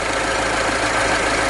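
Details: After a broken aluminium-and-rubber alternator pulley that caused the noise was fixed by fitting another alternator: steady, uniform idle hum with no whine, squeal or rattle from the front of the engine; normal idle.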